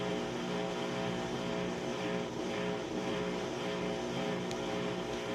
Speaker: It's draining out the water as it starts up to spin right now.